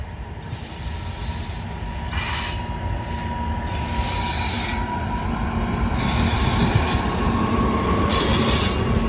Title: Screeching Sound From The Wheels | Brand New Barauni WAG-9HC Hauling Petroleum Tankers